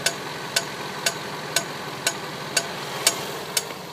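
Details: 2010 Range Rover Sport Supercharged 5.0L V8 warm idle: sharp, even metallic tick about twice a second from the front under the hood, only at running temperature; owner suspects belt-driven clutch fan hitting something; unconfirmed.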